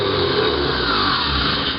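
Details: Bench demo: car starter motor fed from a 12 V battery, energized through the solenoid S terminal so the cog moves forward; smooth, even high whir for about two seconds, then a clean spin-down with no grinding, normal running.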